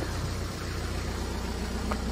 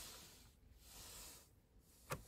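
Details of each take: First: BMW E87 diesel idling after the shorted 5 V sensor behind the crank-no-start fault (codes 4680/41AA/4AFB) was unplugged: steady, even idle with a smooth low throb and no misses or knocks; running normally. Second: BMW E87 with fault codes 4680, 41AA, 4AFB and start/stop not working: starter spins the engine with even quick compression pulses for about a second and a half, but it never fires; crank no start.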